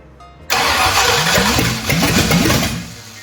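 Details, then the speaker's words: 1965 Ford Thunderbird FE 390 V8 after distributor was moved: starter cranks, engine catches about two seconds, stumbling and sputtering before dying; owner thinks timing was set too far advanced and readjusts distributor. "let me play with that a little bit yeah I think I had it little too far Advanced so let's try this now see what happens"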